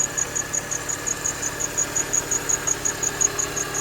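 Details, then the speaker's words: R53 Mini Cooper S petrol engine at idle after a new belt tensioner and idler pulley, still a sharp chirping belt squeal about three times a second; crank pulley also replaced, source unknown, power steering, AC compressor or water pump suspected. "Wait for it to do its thing, start it up. There's still a little bit of a belt squeal."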